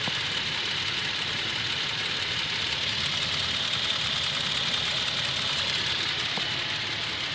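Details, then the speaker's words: Toyota Tacoma, well maintained, at operating temperature after about 6 minutes, idle under 1000 rpm: light quick tick about three per second from the driver side, louder when warm, slight shake; owner thinks engine defective, Toyota says within spec. "you can hear right here that's not normal see it sounds louder after each his operating temperature but you got to let it idle in order to really hear [Music] it right here it's definitely the driver side the is tick tick tick"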